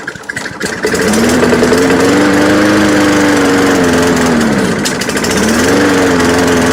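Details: Free, trashed lawn mower after fixing a stuck carburetor float and a fuel leak: steady buzz whose note wavers and dips, with uneven firing. It runs rough, not perfect, but it runs and cuts grass.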